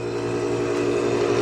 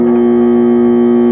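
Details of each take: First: Condura aircon that previously only hummed when switched on, after capacitor work: steady even hum with constant low drone and fan rush, no clicking or stalling; starts, runs normally and cools. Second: Condura aircon plugged in and switched on gives only a steady electrical hum, no fan or compressor coming up to speed; technician checks the capacitor first: motor hums but will not start.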